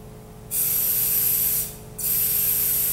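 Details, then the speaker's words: Dental delivery unit HVE suction after restoring and lubricating the O-ring seal and turning the vacuum pump back on: opens twice with strong steady high-pitched rush and shuts off cleanly, no whistle or sputter; no leaks, valve seals properly. "we're actually going to listen for leaks let's listen very carefully everything sounds good"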